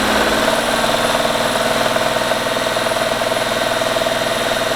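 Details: Seat Mii, engine running at raised rpm, heard from underneath: steady fast clatter, about four per second; timing belt already replaced but noise remains; water pump on separate belt still suspected.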